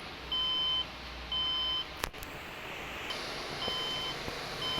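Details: HP desktop that won't boot giving 6 then 5 beep codes: high, clear half-second beeps about once a second; memory fault, both memory slots found to be damaged.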